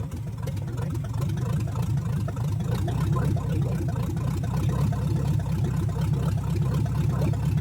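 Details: 1970 Chevrolet Chevelle engine, pulled from a field full of dirt, first run after a valve adjustment and hand-set timing: a deep V8 idle with an uneven, loping beat and a recurring dropped pulse, still apparently down one cylinder.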